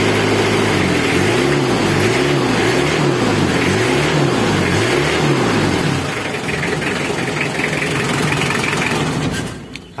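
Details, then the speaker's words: Diesel idle after repair: steady, even idle with a gently pulsing low beat, and the earlier grinding from the worn timing-belt tensioner bearing is gone; only rough running on cold mornings remains, blamed on faulty injectors. "Bearing timing asbalannya grodok-grodok, suaranya ngeri. Sekarang suara ngerinya nggak ada, tinggal ginjal pagi hari."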